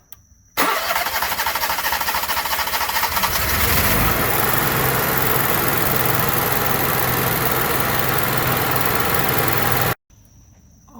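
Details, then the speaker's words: Onan Marquis Gold 5500 generator after carburetor cleaning, which cured surging: the engine cranks, catches within a second and settles into a steady, even drone with no hunting or surging. "try to get a prime going on don't that sound good try it again"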